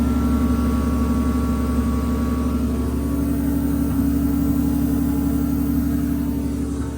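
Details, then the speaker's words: 2JZ turbo six in a KE70 Toyota Corolla wagon after a fuel system upgrade. It fires up to a smooth, even idle with a steady drone and no misses; the new fuel pumps are audibly louder, and the owner suspects the old ones had low voltage. Normal idle. "you can actually hear how much Lou of the fuel pumps are now so they might have always been a bit uh low on the old voltage there"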